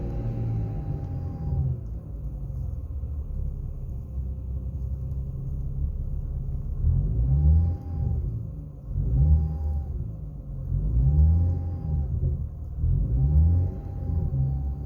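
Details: BMW E90 N55: a thin whine rising with throttle blips under load on the driver side of the engine bay. The PCV valve was checked; the oil filter was suspected, and the whine did not return after an oil change.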